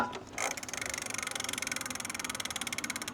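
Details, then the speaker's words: Lectric XP 4.0 eBike: wheel turned slightly by the pedals gives fast, light freewheel ticking with no motor hum, coasting to a stop as it should; elsewhere the motor keeps humming, suspected controller fault. "So I'm gonna try that again, but I'm just gonna turn the wheel slightly with the pedals, and you can hear how quiet it is now."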